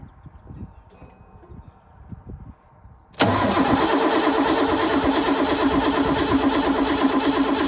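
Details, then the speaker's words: Ford tractor diesel first start after clearing a blocked fuel tap: quiet, then it catches abruptly into a fast, slightly uneven idle after pulling a lot of air in; hard start from air in the fuel line. "this pulled a huge amount of air in"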